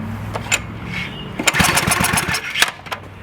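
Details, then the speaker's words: Craftsman 2500 PSI pressure washer with Briggs & Stratton 6.75 engine (model 168212), no-start repair, reassembled and started on choke; uneven sputtering bursts that catch briefly and fade, engine runs and dies. "Now it runs and dies."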